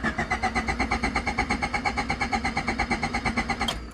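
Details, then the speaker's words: The Si cranking evenly for nearly four seconds without firing, a crank no-start with the distributor plug disconnected; it starts right up once plugged in. "Nothing. Doesn't want to start. Let me stop before I kill my battery."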